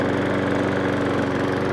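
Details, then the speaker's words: Briggs & Stratton 500E lawn mower engine after service fixing hunting and surging, drive engaged adding load: steady even buzz with fixed tone; normal engine note under load. "once you engage the drive CU you're putting extra pressure on the engine you hear it"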